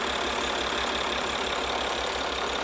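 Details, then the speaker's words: Maserati Ghibli rebuilt from two cars, restarted after a flat battery: steady, even idle with light regular clatter, no misses or odd knocks; engine running healthy. "Well, it's running."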